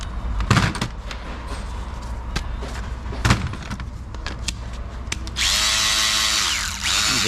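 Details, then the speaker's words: Electric ratchet, never greased before. After handling clicks the motor spins up to a steady, even whine with no grinding, and it sounds good. The owner later says it runs worse with lube, perhaps from too much lube. "Ooh, this one sounds good. Okay, let's see how this one does. Sounds pretty good."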